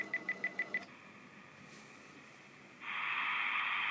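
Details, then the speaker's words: Clansman VRC-321 military radio transceiver at power-on: five quick high warm-up beeps, short pause, then steady high buzzing as the set tunes itself internally; normal start-up behaviour. "So once it had warmed up, it did some kind of mechanised tuning inside. It sounds quite bizarre."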